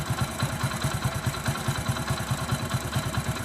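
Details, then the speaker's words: Telugu mechanic's reference bike: quick, even single-cylinder putter at idle, about two beats a second, with no knock or tapping. The whole engine is in perfect condition. "అంటే ఇది engine మొత్తం perfect ఉన్న బండి. మీకు ఒక్కొక్క బండికి మనకు engine లోపల ఎట్లా సౌండ్ వస్తుంది అనేది మీకు క్లారిటీగా అయితే ఎక్స్ప్లెయిన్ చేయాలి కాబట్టి నేను చెప్తున్నాను అనమాట."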